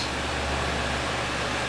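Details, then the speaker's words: Gainward GTX 580 Phantom 3GB in two-card SLI in a water-cooled X58 system, both cores near 100% load under Folding@home, fans at 80%, top card 85°C, mic close: steady even air rush with low hum, no ticking; normal full-load fan noise. "okay so the fan speeds are at 80% at um well the top card is 85°"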